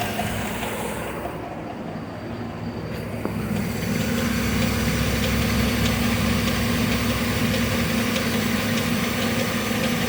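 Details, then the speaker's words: Well-maintained vehicle's idling petrol engine with a steady heavy knock about four beats a second; number three rod knock, new engine to be requested. "that's uh number three rod knock so no bueno on that one"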